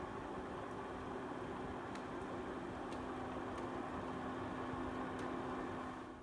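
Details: Older Venta air washer, kept in the bedroom because it is much quieter than the new one. Steady, soft fan whoosh with a low even hum and no rhythmic clicking. Normal quiet running.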